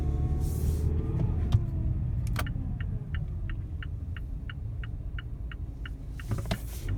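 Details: 2017 Mazda CX-5 under acceleration: a faint whine rises and falls with engine speed over steady road rumble. The source is unclear; the dealership says it is normal.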